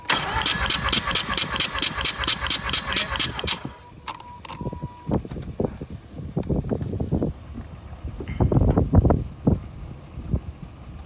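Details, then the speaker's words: Mazda RX-8 rotary, cold, compression test on front rotor leading plug, clutch in, throttle wide open: quick cranking beats about three seconds then an uneven catch; front rotor low, corrected readings about 87, 83, 88. "front rotor's low. 80s as the correction, 86, 82, 87, corrected 87, 83, 88."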